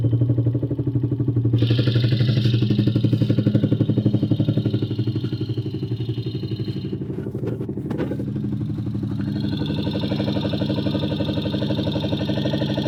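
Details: Fast, very even tick at idle, about four per second, a valvetrain-type clatter; valve clearance or engine knock is suspected, not confirmed.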